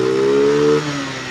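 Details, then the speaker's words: Rusi Venus scooter, kick-started after the CDI was refitted and spark restored, spark plug cap reinstalled: small single catches, holds a clean steady note, blips up and eases back smoothly; normal running, no misfire. "It's alive! So yun lang mga katropa kung paano mag-troubleshoot ng ganitong klaseng mga problema"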